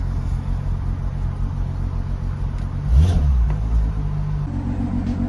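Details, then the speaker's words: MK5 Golf R32 Turbo after fitting a new fuel pump in a second-hand sender to cure fuel starvation: the engine catches, gives one brief rev, then holds a steady, even idle; the pump is quieter than the previous one, which whined. "so she's running I'm going to let it idle for 10 to 15 minutes and fingers crossed there shouldn't be any issues this Pub definitely sounds quieter than the warro one which which is good"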